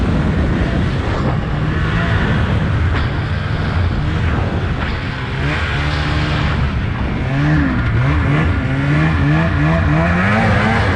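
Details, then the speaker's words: 2003 Polaris Indy 600 snowmobile held at full throttle yet only about 30 mph; note wavers and sags instead of climbing, bogging intermittently, owner suspects engine timing; engine bogging under full throttle. "there you can hear the bogging that I was talking about um yeah I had it pinned and it was only doing like 30 mph so not really sure why it does that"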